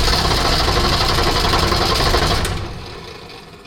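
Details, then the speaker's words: Unimog 404 with a rebuilt OM617.912 diesel and rebuilt fuel pump, weak batteries; fast, steady cranking about four beats a second that winds down without firing, suspected not getting diesel. "Lijkt wel of hij toch geen diesel krijgt."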